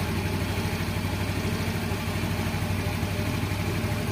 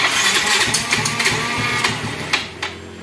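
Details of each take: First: Yamaha X-Ride fuel-injected Blue Core scooter after throttle body cleaning and scanner reset: even, settled low idle with no hunting or misses until the engine is switched off; idle speed correct. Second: Yamaha X-Ride fuel-injected Blue Core scooter after throttle body cleaning, TPS possibly loose: short, uneven, sputtering bursts that can't settle into a steady idle and die; idle air screw set too low, hard starting.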